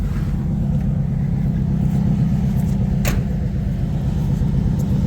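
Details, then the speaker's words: Owner's V8 tow truck after repairs and a battery recharge: low, steady even rumble with no misses, knocks or ticks; idling smoothly, tailpipe looks clean. "Running smooth. Clean at the tailpipe, looks like. Might just be back in business."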